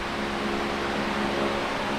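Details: Late-1970s Canadian Super 16-inch fan, before servicing, testing oscillation (gearbox believed to have more metal parts than newer versions): steady airy whoosh with low hum, no ticking, clicking or grinding from oscillation gears; oscillation works normally.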